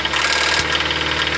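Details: Steady idle with a fast, even metallic tapping over it, a light knock from inside the engine at idle; listeners suspect a loose cam, not confirmed.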